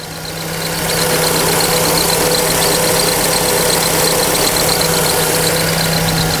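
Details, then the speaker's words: Fiat Fire engine, noise returns even after the accessory belt was replaced; idle cold start gives a loud steady hum with a light chirp about four times a second, fading as the engine warms; original belt suspected. "o barulho é mais comum na fase fria assim que o motor atinge uma temperatura mais aquecida o barulho"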